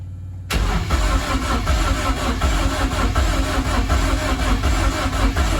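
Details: BMW E30 rally car with freshly fitted M44 engine, another start attempt after plugging in a connector: starter turns engine at a steady, slightly uneven rhythm for several seconds but it never catches; crank, no start.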